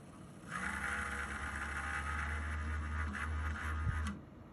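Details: Low steady hum with a higher hissing whine over it, starting and stopping abruptly, from a PC radiator; odd abnormal noise, cause unknown.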